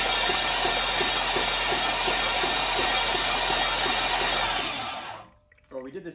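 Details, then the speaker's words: Junkyard LM4 aluminum 5.3 LS V8 on a run stand, stock cam, oil added: starter cranks it with plugs out to prime oil. Fast, even whirring with a tick three to four times a second and no firing; normal cranking. "Travis is just uh hooking up the starter and then what we're gonna do is just spin this thing over without the plugs just so we can um bring oil up to the top"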